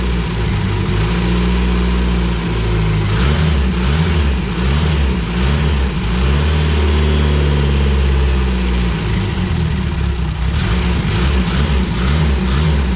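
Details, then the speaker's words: Renault 5 GT Turbo engine in a van, first run after unlocking ignition angle, only about 30 seconds running: revs rise and fall unevenly with a ragged, hunting note at idle and blips; rough, untuned running. "oh mate all right so it definitely needs some work but that is the most promising sound I've heard all day"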